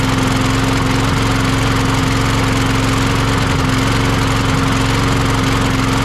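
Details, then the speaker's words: Troy-Bilt (MTD) push mower that wouldn't start: loud idle with a lumpy, uneven beat instead of a smooth drone, still running rough with that carburetor fitted; faulty carburetor. "still not running quite right with that carburetor on it for some reason"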